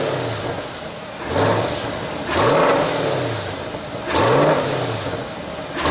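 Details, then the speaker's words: C8 Corvette exhaust on throttle blips: loose, buzzy rattle over the exhaust note; owner suspects the rear bumper improperly installed by the dealership, unconfirmed. "so I'm sure you would have picked up that rattling noise coming from the exhaust so I came out to take a closer look and look what I found"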